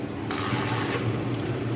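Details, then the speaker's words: Honda CD 70 motorcycle, engine running: small single coughs and stumbles as the throttle is blipped, not picking up cleanly, misfire easing when choke is applied; hesitation and misfire on acceleration from dirt clogging the carburetor main jet. "तो यह गाड़ी start हो गई है आप check कर सकते हैं ये जैसे ही हम हॉकी सी रेस देते हैं तो ये बैंड होने की कोशिश करता है"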